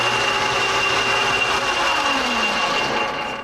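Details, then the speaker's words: Metal shaper running in gear with its oil journals not yet oiled: loud, rough, steady clatter with a whining tone from the gear drive. Owner suspects the bearings. "noisy I don't like that noise I'm gonna get a little oil I see a couple of little oil journals in here I didn't put any oil in you well I think what we're seeing here is the bearings"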